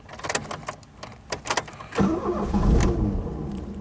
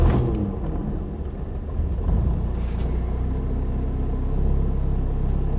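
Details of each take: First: 1982–83 Ford Escort Mk3 1.3L on a scorching day: auto choke cut out early and the starter stuck. Sharp knocks and rattles as the starter motor is smacked with a bicycle pump, then the engine catches and settles into a steady run. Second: 1982 Ford Escort Mk3 1.3L with automatic choke, started from cold, heard from inside the cabin: low even idle rumble, no knocks or misses, settling steadily; sounds healthy.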